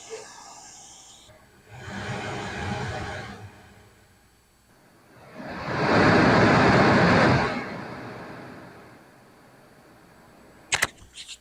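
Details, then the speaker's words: Older Sony receiver with right-speaker dropout, tuner on AM: steady hiss heard from left then right speaker, swelling as volume rises, no crackle or popping; normal speaker hiss, not the problem. "You can hear a good steady hiss out of the left, and here's a hiss out of the right. Sounds good."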